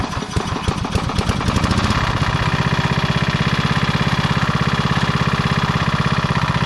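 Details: 1991 MTD 12/38 riding mower after a rattle-can restoration, basically finished: it starts, moves and mows. After a rough start it settles into a steady, even single-cylinder thump with no misses; blade brake works. Normal running.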